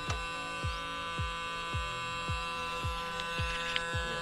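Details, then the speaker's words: Hyundai Creta right electric side mirror: continuous motor whir with a regular click about twice a second; fold motor keeps running, even after door lock, but the mirror never folds while the left one works. "तो यह आवाज जो है इस side mirror में आरहा य problem हो रही है और य फोल्ड नहीं हो रहा और य कंटिन्यू चल रहा है"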